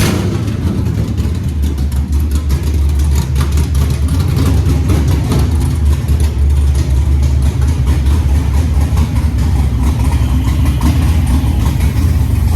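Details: 1987 Monte Carlo SS with LS swap, 6.0 V8 with CNC heads, 42 lb injectors, base tune, new headers: deep, even rumble holding steady with no knocks or misses; sounds healthy.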